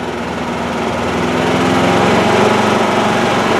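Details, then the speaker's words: Duromax 9000-watt dual-fuel generator at no load, switched from gasoline to LP gas while running: steady even buzz with a small noise at the switchover, no surging or stumbling, keeps running; normal. "you'll hear the uh the lp gas switch on and that's all there is to it the generator just makes a little noise and it keeps going"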